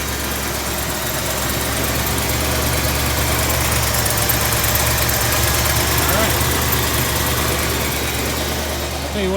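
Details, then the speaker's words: 1979 Ford F-100 Ranger 302 V8 after replacing the fuel filter: fires right up into a strong, even idle with steady low rumble, no stumbles or misfires. "anyway this crank look at there new fuel filter fired right up"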